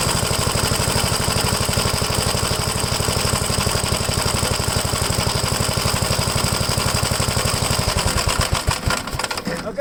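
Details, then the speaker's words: 1957 Gravely L tractor engine after replacing a clogged fuel filter, choke off, carburetor leaned slightly after being too rich: steady, even putting with firm regular firing pulses and no misses. Running healthy. "sounds good. You notice I had it too rich when I was giving the throttle. I was having a hard time regaining RPM. So I just leaned it out a little bit."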